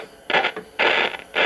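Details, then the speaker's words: 1959 Zenith B615F tube radio with no external antenna, tuning toward a station 970 about 45 miles away: harsh scratchy crackle comes in bursts as the dial turns; the tuning capacitor plates are likely rubbing together. "I was hoping I might pick up 970 about 45 miles away but it sounds like the tuning plates are rubbing together there"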